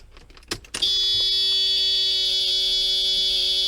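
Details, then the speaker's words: Mercedes 500E W124 before first engine start after rebuild, fuel system fully depressurized, key on: a few clicks then a steady high electric buzz as the fuel pump primes and shuts off; normal. "now your palm comes on and shuts off"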